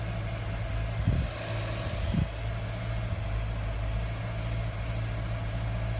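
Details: 2015 Subaru Forester 2.0XT on cold start: low, shaky idle with an occasional stumble every second or so; repeated misfire and rough idle, cause unknown.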